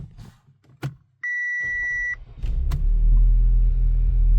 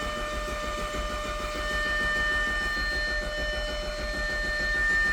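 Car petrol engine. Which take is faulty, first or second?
second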